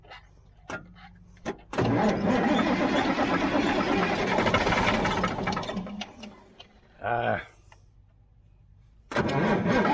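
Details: Mack R-model diesel, believed to be a 1977: the starter churns about four seconds, stops, spins briefly, then cranks again while the injector pump is pumped by hand. It never catches. Cranks but won't start.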